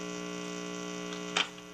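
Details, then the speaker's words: Radio chassis: steady low mains hum from a bad ground, then a click and the hum drops when a wire is pressed against the chassis; wire dressing and a proper ground fix it. "ver it gives me a great opportunity to show you folks exactly what happens when you dress wires up against the chassis now you can hear that hum"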